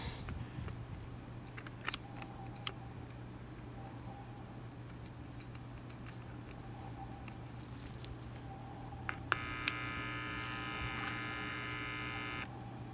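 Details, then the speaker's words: 1961 RCA 3RH10 transistor pocket radio: steady low hum, then a buzzy tone for about three seconds showing the audio amp and detector working; a cracked, broken-wire second IF transformer blocks reception. "you can hear the audio portion of this audio amp is working. Okay, so that's coming out of the detector. So the radio is working except that IF transformer."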